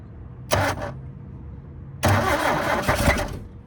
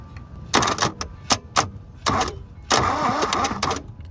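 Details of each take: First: 1972 Toyota Celica, 18RC engine, first start after over 20 years in a junkyard, fuel poured down the carburetor vent tubes: two short bursts of ragged firing over cranking, catching briefly then dying each time; fuel starvation. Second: 1972 Toyota Celica, factory 18RC engine, junkyard car sitting 20+ years, starter bridged directly with jumper wires: short bursts of starter whirring with an uneven chug; engine turns over and has compression.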